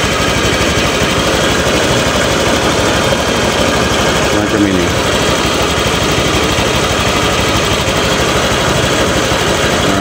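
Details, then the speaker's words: Honda Vario scooter killing spark plugs within about a week, with high fuel use and power drop. Before a hole was drilled in the silencer, it idles loud and rough with a choked, pressured exhaust and uneven chuffing, a clogged catalytic converter and silencer. "ditarik ke sini ya Tu nahankan itu sebelum saya kasih lubang ini di sini itu suaranya nya parah itu ya engak semacam itu"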